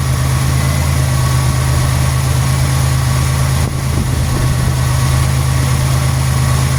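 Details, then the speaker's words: 1991 Buick LeSabre petrol engine idling after repairs for code 41: deep steady rumble, idle dipping slightly as the computer runs its systems test; completely normal idle. "You might hear the idle change up and down a little bit. That's the computer doing its systems test. Completely and totally normal."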